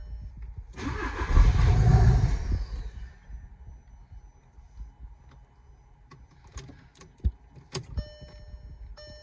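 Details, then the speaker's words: 2012 VW Golf SportWagen CJAA TDI, 262,000 on the original timing belt, shut off while driving: a couple of seconds of hard cranking that barely catches, then silence; no start from exhaust restriction by a seized turbo. "so I'm not sure if it's slid out or seized or I'm not sure what's going on but anyways turbo is bad quick and simple answer"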